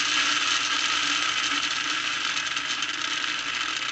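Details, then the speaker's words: Lionel #1110 2-4-2 locomotive with plastic-case Scout motor (1948–1950s design), about half throttle, around 7–8 volts: harsh, buzzy whir with fast rattling chatter, loud even at slow speed, a common trait of these plastic motors; loud motor noise. "so it will go on these slower uh speeds but you hear how loud it is even at these slow speeds this is a common trait of the plastic Motors"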